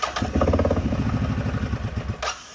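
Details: 2015 CFMOTO 800cc EFI V-twin ATV, 818 miles, sat over two years, new AGM battery, fluids checked and fresh gas: catches quickly into an even rapid firing rhythm for two seconds, then cuts off; clean normal start.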